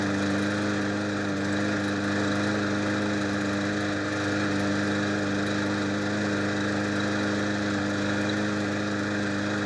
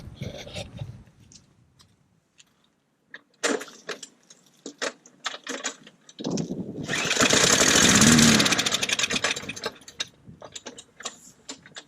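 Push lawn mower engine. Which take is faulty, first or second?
second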